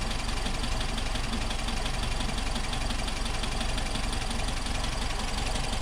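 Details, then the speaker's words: 1964 VW Type 34 Ghia, sitting since 1983 and first fired after about 38 years on rebuilt carbs. Even idle with a ticking about three per second, loudest on one side. The owner suspects a loose spark plug; the cause is unconfirmed. "we're getting kind of a kind of a goofy sound over on this side i don't know listen to this i think that plug's loose"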